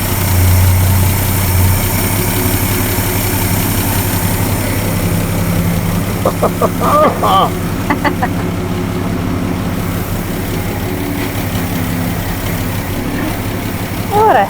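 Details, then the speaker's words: 1961 Ford F250 with what is believed to be a 223 six-cylinder: even, steady idle with a smooth low rumble and no knocks or misses, timing sounding close; the belt may be a little loose. "happy dance doing pretty good sweet Mama sounds good yeah it does"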